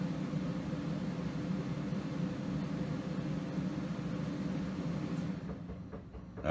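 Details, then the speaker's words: RV trailer off-grid system with two added 12V 100Ah AGM batteries and a Victron setup, as the air conditioner kicks on: a steady compressor and fan hum cuts out abruptly with a beep; the inverter overloads and shuts the system down, then restarts. "I don't know if you can hear that beeping or not but the inverter since that there was a problem so it shut the system down okay and now it's now it's back up"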